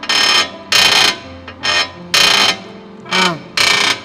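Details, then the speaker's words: Car steering turned with wheels loaded on the ground: harsh creaking squeals in short bursts, louder on the right front; noise disappears with the wheel jacked up; suspected a damaged tie rod, upper or lower control arm ball joint. "明显这边声音大，这个声音就是从这里传出来的。"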